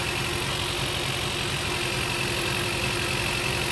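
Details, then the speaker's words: Engine with a suspected blown head gasket, after adding head gasket sealer, throttle propped slightly open after it stalled: uneven, stumbling idle about three beats per second with hiss; running rough, worse than before. "Looks like it's running worse than it was."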